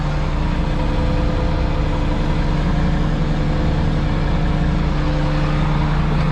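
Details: Payloader (wheel loader) first start of the season after sticky-throttle work, diesel idling while air gauge builds: steady low howl holding pitch; owner says one pump is howling, then suspects the air regulator; not confirmed.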